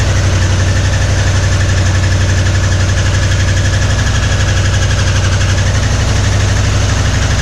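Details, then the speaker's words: 1961 Mercury Meteor first start in decades after new parts: rough low idle with heavy even knock about four beats a second; oil pressure light on, no oil pressure, oil pump shaft under distributor found broken; bottom-end knock. "But yeah, it ran, but didn't have no oil pressure. I was like, what's all that noise? And it makes sense now."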